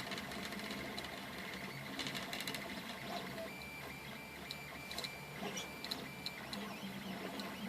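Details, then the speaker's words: 3D printer at 200% speed, 80 mm/s print, 40 mm/s outer shell: stepper whir with fast uneven ticking and chatter. The rattle stops when certain frame screws are held by hand. Rattle at high print speed. "So if I grab these screws, all the rattling goes away. If I let go of the screws, you can hear the rattle."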